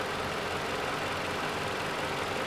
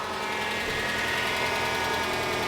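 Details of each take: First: 2011 Toyota RAV4 2AR-FE 2.5L four-cylinder, about 150,000 miles, rebuilt for oil consumption: smooth, even idle with no top-end ticking once warmed and the lifters pumped up. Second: 2011 Toyota RAV4 2AR-FE 2.5L four-cylinder, just over 150,000 miles, first start after teardown for oil consumption: fast even light ticking over steady idle as hydraulic lifters pump up; normal after sitting without oil.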